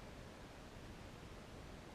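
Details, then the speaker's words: Moen kitchen faucet replacement, water supply turned back on slowly to avoid water hammer: a steady, even rush of water as the drained pipe refills, with no banging. This is normal. "If you hear water rushing still, that's fine. Nice and slow as the pipe refills"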